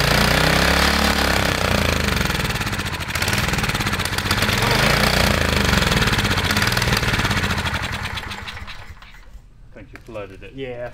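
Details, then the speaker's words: 1980s Kawasaki mini bike with a Kawasaki FA130 engine, barn find, at first start: small revs settle into a steady, even rapid putter with no smoke or knocking. Normal running. "clear it out real quick well it's a great sign yeah dude no smoke no knocking perfect"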